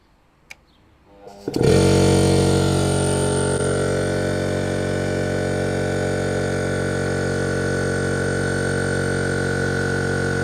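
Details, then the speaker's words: Air compressor fitted with SSR soft start, charging tank: motor kicks in gently then steady even hum with smooth pumping rhythm as tank fills; normal charging. "Um, I'll record the compressor charging process itself. We'll do a load test, which means I'll blow air out, and you'll see how it works. So for now, I'll record myself inflating the compressor."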